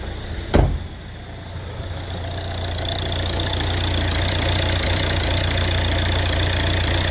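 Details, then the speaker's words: Volvo V70 after timing belt replacement, start-up following a new alternator belt tensioner fitted to cure a noise; click then smooth steady idle with no squeal or rattle from the belt area; normal idle. "Certainly seems a bit better."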